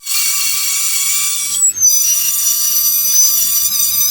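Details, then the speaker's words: Hyundai H100 brakes: steady high-pitched metallic squeal holding one pitch, briefly cutting out; brake pads worn very thin, nearly metal-to-metal, the wear indicator tab sounding a warning. "Kapag kaganyan po, indikasyon po yan na manipis na yung ating brake pads."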